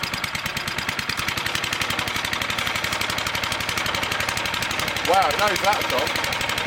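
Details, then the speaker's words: Small engine of a homemade 12V generator, started on fuel and choke to charge a car battery via jumper cables, no exhaust fitted: loud sharp rapid unmuffled popping at steady idle; running without exhaust muffler. "I'll run in and start the car, you'll hear it because there's no exhaust on it, so let's get this thing going."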